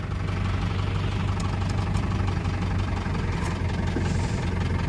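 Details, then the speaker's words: 1948 Willys Jeep CJ-2A, 3-speed in neutral, just started with choke pulled. Low, lumpy, tractor-like idle with a steady deep chug and no odd knocks; healthy. "Gonna see if it'll idle. Like I said, sounds like a tractor."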